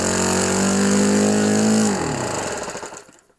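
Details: Repaired OS FS 91 Surpass 15 cc four-stroke methanol model engine on first-start break-in with what is probably a Graupner 14x7 prop: steady buzz that drops, stumbles and dies. Needle set very, very rich on purpose to seat the new ring.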